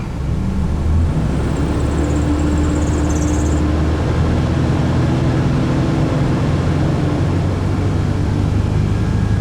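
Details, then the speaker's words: 1995 Toyota T100 V6, almost 300,000 miles, just after alternator replacement with battery reconnected: low engine roar as it revs, with a thin high squeal for a couple of seconds that fades; slight drive belt squeal, battery appears fine. "Motor's holding together, and a little squealing of the belt, but battery appears fine."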